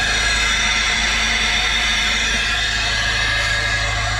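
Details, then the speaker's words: Turbo car losing boost, with the EVAP purge valve pipe pulled off at idle: loud steady hiss riding over the idle, air leaking through the failed purge valve, not the diverter valve. "he said to me pull off this pipe see if that's making a noise that's the eva purge valve thing right guess what it's screaming loud"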